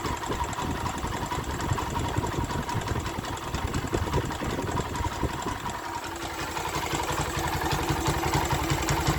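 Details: Honda Sonic 125 that would not start, with new carburettor flooding from dirt: fuel line replaced and fuel filter added, now it starts, cover left off to watch for flooding. Small single ticks over at a quick, fairly even idle without stalling; normal idle.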